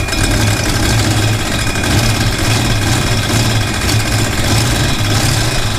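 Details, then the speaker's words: 1968 Chevrolet Impala fastback at idle on the lift, just after an exhaust clamp and hanger fix: steady idle with a fast rhythmic slapping tick at engine speed; owner suspects the fan, and a shiny rub mark shows the cooling fan striking its shroud. "what is that noise listen to this that's crazy stuff that's got to be the fan that's got to be the fan doing that"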